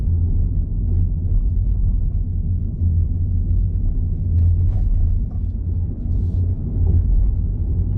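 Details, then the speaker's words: 2017 Hyundai Ioniq Electric driven over a bumpy road with radio and AC off after a front trunk tray install: only low, even road rumble, no clanks or knocks; frunk tray quiet and secure. "No noise. Get some bumps here. Okay, here comes the bigger bumps."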